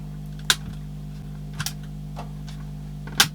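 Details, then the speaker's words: Philips AQ6519/00 auto-reverse Walkman with battery-leak corrosion damage, in tape mode: only a few sharp switch clicks over a quiet hum, no motor whir; the tape motor is not running, buttons unresponsive. "I think so it's making noises no motor action"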